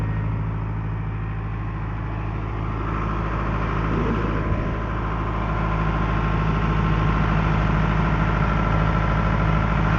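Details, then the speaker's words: Caterpillar 943 diesel, reportedly late 1980s, idling during a 10-minute warm-up after start: steady, even low idle with a smooth regular beat, no knocks or misses; sounds the same as every day since purchase. "It honestly sounded no different today than it did any other day yesterday or the day I got it."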